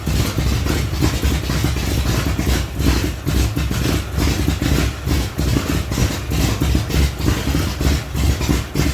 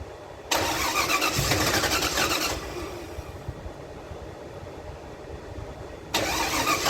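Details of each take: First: 1975 Datsun 280Z, swapped 358 small-block Chevy V8 on Megasquirt 3X, first start in over 4 years after wiring fixes: loud, slightly lumpy low rumble holding steady idle, no knock or misfire; normal idle. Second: 1975 Datsun 280Z with swapped 358 small-block Chevy V8, Megasquirt 3X ECU: starter churns in two bursts, turning steadily but never catching; no-start from wiring problems.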